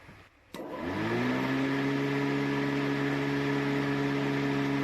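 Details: 250 W, 24 V electric mower motor on a replacement lithium battery (40 A BMS) spins up over about a second to a steady, clean hum with no rattle or grinding, drawing under 6 amps; normal running.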